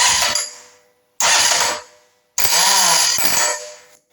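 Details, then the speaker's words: Norvil Commando starter motor, bike parked 10 years from new; sprag bearing fails to engage again after a WD-40 fix lasted two weeks. Three start-button presses give a high whirring spin, catching only about half the time and slipping otherwise. "I've set the video up so that I'm going to press the start button and we can listen to that spray bearing and see about it failing to engage yeah that's it failure to engage very soft and it catches"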